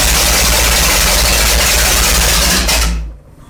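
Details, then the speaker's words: 1970s jet boat big-block V8 revived after water was found in the engine, run on a 3-gallon auxiliary tank with a fresh carb and timing checked: loud, even roar held steady for about three seconds, then a clean shutdown; runs strong and smooth. "Jesus Christ. That was fucking violent. Isn't that fun? That runs damn good."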